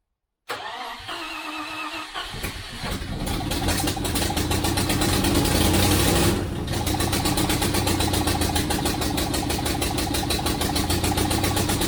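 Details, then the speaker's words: 1973 Range Rover first start, engine cold, in workshop: cranks and catches, then a slow, lumpy, uneven idle that barely holds; running very rich and idle speed can't be raised enough to set ignition timing. "in terms I can't get the idle speeds high enough to get the out while it's running to adjust the ignition so I'm just going to do it a little bit at the time"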